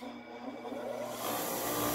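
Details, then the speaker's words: Old restored IR bench grinder after fitting new capacitor (7.55 reading, no short to case), previously overheating under heavy use: smooth steady whirring hiss, no rattle or hum; running free normally. "Of course, it seemed to run good the other time."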